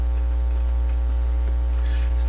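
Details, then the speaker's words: General Electric RD400 record player cartridge test after swapping the leads the other way around: hum much reduced but still dominant, only faint ticks above it at full volume. Very weak output, not completely dead. "hum wise it's a lot better A lot better okay well I can hear that not very strong but it's"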